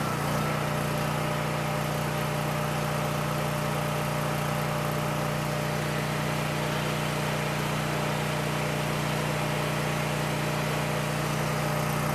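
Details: Coleman Powermate 6560 generator under a 1000 W heater load while the bolt is adjusted toward 60 Hz at 120 V: steady, even drone, constant pitch, no misses or knocks; normal running.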